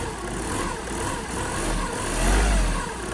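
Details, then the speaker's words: Skoda that reportedly knocks only on a cold start, just started cold; it settles into a steady, even idle with no knock or tick; nothing abnormal is heard. "Я нічого не чую, якщо чесно."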